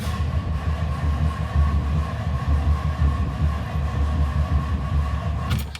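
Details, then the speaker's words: 1964 Ford Country Squire, battery voltage good: heavy, slow, labouring uneven crank that never catches; worn dragging starter motor, solenoid also suspected, starter being replaced. "She sounds like dog shit. So I'm going to swap out the starter."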